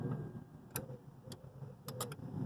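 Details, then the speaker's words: A 2005-12 Lexus IS220D with a P0405 code has its EGR valve reassembled off the exhaust manifold. With the ignition switched on, sparse sharp clicks sound over a low hum as the EGR valve actuator moves. EGR actuator working. "Put the ignition on. Off again. Yeah, I can see that EGR valve is playing."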